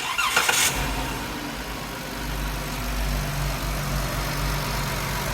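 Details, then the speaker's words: 2021 Ram ProMaster Pentastar engine cranks and settles into a smooth, even idle with no knocking. This follows replacing a cracked two-piece flex plate that caused the earlier engine knock noise. Normal idle. "sounds like a normal crappy proas now"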